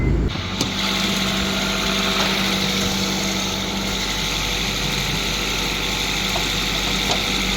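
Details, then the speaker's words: Car that had a misfire, fixed by swapping in a known-good spare cylinder head, cleaned and torqued down; cold day, heater fan roaring over an even, steady low idle hum with no misses or ticks, engine running clean. "Yeah, it runs really good. My brother helped me do it because I barely have time."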